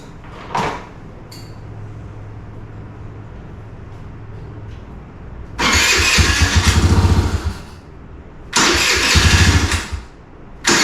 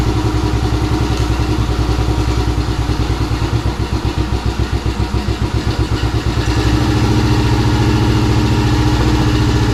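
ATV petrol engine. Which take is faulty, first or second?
first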